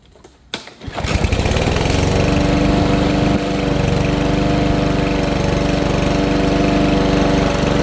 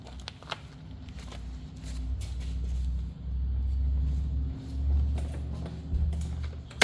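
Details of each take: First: Troy-Bilt TB320 rear-wheel-drive push mower, Briggs & Stratton 625EX 150cc, after tune-up with new air filter and Champion RC12YC spark plug for bogging and dying under load: catches quickly, smooth even run, no misses or surging, running much better. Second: Troy-Bilt TB320 push mower with Briggs & Stratton 150cc engine, before tune-up: engine speed swells and sags every few seconds, a surging, hunting idle; it bogs and sometimes dies under grass load. Cause suspected, tune-up expected to fix.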